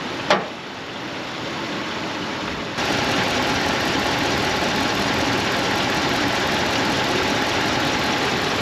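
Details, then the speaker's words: Gen 3 Dodge Ram pickup on LPG, 105,900 miles, after a new power steering pump cured a pump noise: a smooth, even idle with a steady hum and no whine or groan; running healthy. "Driving really good. Nice and smooth. No no noises."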